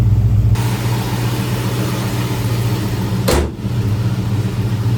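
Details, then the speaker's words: 1968 Ford Ranchero 289 V8 with dual exhaust, possibly a boreless system: quick rev blip then deep, even burble dropping back to smooth idle, no misses or rattles; healthy exhaust. "That's what the exhaust sounds like on it. Dual exhaust Borless system, I believe. Sounds pretty good."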